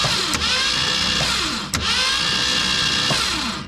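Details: 1966 Mustang off the road since at least 1987, cranked on the starter with the spark plugs removed: a fast, even whirring spin that never labours or catches. It turns freely with no compression, clearing the cylinders.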